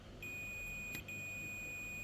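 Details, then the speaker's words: Multimeter continuity test on a dead Asus laptop's charging circuit: a steady high beep with a brief dropout, showing a dead short across the MOSFET. The MOSFET is dead. "That's a dead MOSFET, so let's change that and see how the result is going to affect us."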